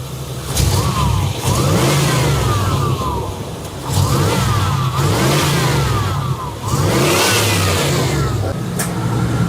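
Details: 1988-95 GM OBS TBI V8 truck after the sensor, thermostat and hose replacement: it revs cleanly three times and drops back to a steady idle with no hunting; owner guesses the idle air control or TPS fixed it.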